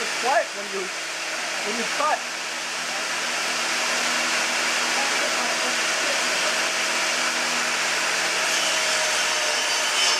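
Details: Newly assembled table saw on its first cuts: steady high whirring motor with a smooth, even tone through the cut and no knocks or rattles; healthy and cutting quietly.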